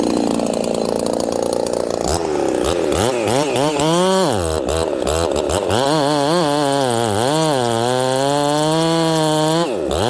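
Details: Ported Homelite 922 chainsaw after clutch and fuel line repair and a cooler heat range plug; restarts hot without fuss, then screams up cleanly and holds revs steady in the cut; normal running.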